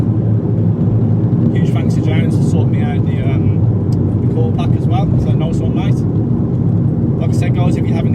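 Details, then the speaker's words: Vauxhall Corsa VXR after coil pack replacement: strong, even turbo engine roar under boost with no stumbles or cuts; previous slight misfire on boost is gone. "Seems alright so far. Sorted, no problem. The misfire has now gone."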